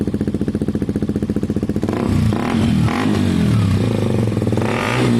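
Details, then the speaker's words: KTM 125 motorcycle with a newly fitted Black Widow aftermarket exhaust: even idle pulses and clean revs rising and falling with no puffing or ticking; the pipe is sealed with no gaps and runs healthy. "Should we hear it one more time just for the road, just really quickly? That is just the sound of the pipe, guys. There are no gaps."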